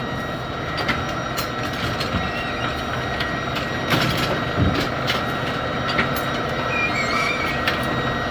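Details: Brunswick A2 bowling pinsetter, run with jumper installed for a suspected deck holding hook problem, cycles with steady clatter, periodic clunks and faint squeal but sticks on second-ball cycle; a blown 1 amp fuse was found afterward, cause unknown.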